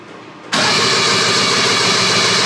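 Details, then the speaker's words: 1974 Daihatsu S38 mini truck, carburetor removed, starting fluid sprayed in: steady fast cranking that never catches; cranks but won't start, one spark plug wasn't sparking, plugs suspected, not confirmed. "now nothing hm it's almost like it's sucking the wrong [Music] way"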